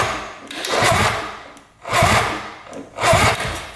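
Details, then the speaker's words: 1974 Suzuki GT750 three-cylinder 750cc two-stroke, water-cooled, sat 30+ years in a barn, compression test with throttle stuck closed: starter labours in slow heavy surges about once a second; cylinder reads 135 psi, too high for the starter. "huh I have to kick it over too high compression for the starter that's without throtle open that's crazy"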